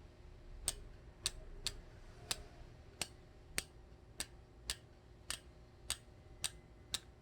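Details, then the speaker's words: 8-speed road bike with the rear shifted toward the inner cogs so the chain runs nearly straight, cranks turned slowly backward: slow, evenly spaced light clicks about every half second with no rubbing; normal drivetrain. "이너로 들어가지가 그 증상은 없죠 그래서 공통된 의견이 인어 에서는 괜찮은데 아우터로 갈수록 소리가 나요 라고 얘기를 하시는 거에요"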